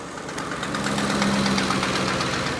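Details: Truck idling after being started with a portable jump starter; a fast, even puffing tick rides over the steady idle, which the owner says is a known exhaust leak: exhaust leak tick.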